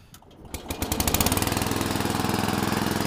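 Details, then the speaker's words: Engine of an old garden tractor converted to a homemade screw-drive vehicle, started with the PTO disengaged. It catches and settles into a steady, even putt-putt of about three and a half beats a second, with no knocks or misses. It runs good. "Runs good anyways."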